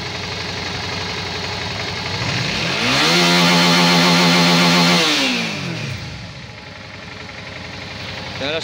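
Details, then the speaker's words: Suzuki DL 650 V-Strom that misfired under hard acceleration as fuel pressure dropped near zero, after cleaning the clogged high-pressure fuel filter: engine revs cleanly up and back down with no stumble at high revs; pressure holds. "era só filtro de alta pressão, pessoal."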